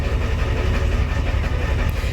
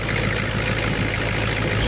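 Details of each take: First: 1990 Ford F Super Duty, naturally aspirated 7.3 IDI diesel, just cold-started after sitting a week, before injector replacement: heavy idle with loping uneven thump, truck shaking; owner believes injectors are leaking; rough idle from leaking injectors. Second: 1990 Ford F Super Duty, naturally aspirated 7.3 IDI diesel, ZF5, after injector replacement: short stretch of steady even idle clatter, no lumpy beat, now really smooth versus the earlier teeth-rattling shake in the cab; normal diesel idle.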